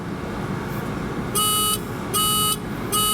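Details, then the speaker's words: 1988 Mazda RX-7 rotary, non-starting, key on with diagnostic connector: three even, high-pitched beeps about 0.8 seconds apart over a low hum; code 03. "Okay. Let's just say that this is our code because it's just sticking with 03. Three beeps."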